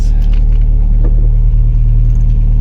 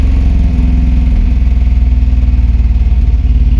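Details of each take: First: 1988 Jeep Comanche, Renix 2.5L I4, AX-4 4-speed, after fouled spark plug replaced, given throttle: deep even roar holding steady, no stumble or popping, pulling cleanly; back in business. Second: 1988 Jeep Comanche, Renix 2.5L I4, AX-4 4-speed, after replacing fouled spark plug and refitting coil and fuel pump relay: uneven lumpy idle with stumbling beat, sounds as bad as before; one cylinder low compression causing misfire.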